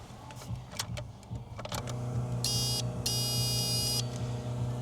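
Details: Holden VL Calais with 304/308 V8, first drive after build: steady low electric buzz over a dull rumble with brief high chirps, from an old under-dash unit, owner suspects an old alarm module, to be replaced.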